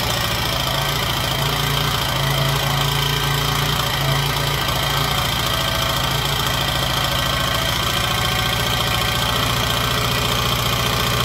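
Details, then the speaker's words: Honda XR80 single-cylinder, running after rocker and gasket replacement, before final valve adjustment: quick light tapping about four times a second over steady idle; loose valve clearance needing adjustment. "now why it's running we can fine tune this adjustment now get that little slapping noise out of there"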